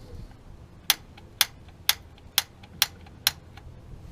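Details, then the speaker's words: Rheem 2014 gas water heater with thermopile, valve and condensation issues; six crisp ticks about half a second apart in a quiet room as the flue damper trap door closes, normal operation. "You'll hear the little trap door thing closed."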